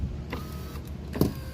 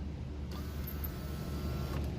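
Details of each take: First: Volkswagen Mk6 Jetta rear right power window with the motor humming and sharp clicks and clunks, rattling over bumps when down; a loose 10 mm bolt, fixed by tightening it. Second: VW Mk6 Jetta rear right power window after tightening a loose 10 mm bolt: the motor whirs smoothly up and down with no clunk, and a slight regulator noise remains. Normal operation.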